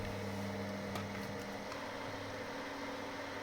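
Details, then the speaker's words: Bathroom inline moisture extractor fan: steady low buzzy hum from structure-borne vibration, caused by mechanical contact between the fan, pipe and wooden floor. "But now you hear the sound, the humming sound because there is a mechanical contact between the fan and the pipe and the floor."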